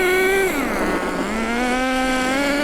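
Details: New nitro RC car engine being run in on a rich factory carburettor mixture: high buzzing note dips as throttle eases, then climbs steadily again; rich but clean, healthy running.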